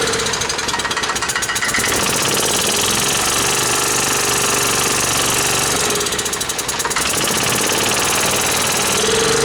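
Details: Club Car golf cart stored 4 years in a barn first fires after the fuel was checked for water and the float bowl filled: harsh, uneven clatter about four beats a second with heavy shaking, rough running.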